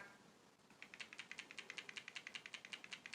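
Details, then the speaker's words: Samsung Galaxy S20 Ultra 5G, new, shaken with cameras not activated: light quick clicking rattle about two to three taps a second from the floating camera stabilization sensors; normal. "that shaking? All that rattling? People, don't be afraid. It's just the sensors in the phone, in the camera setup. It's like floating sensors."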